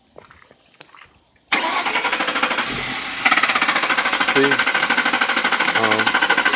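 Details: 2003 Lincoln Town Car, cranks okay but won't start: starter spins engine evenly about three turns a second, never fires; no fuel pump prime buzz heard with key on, no fuel pressure.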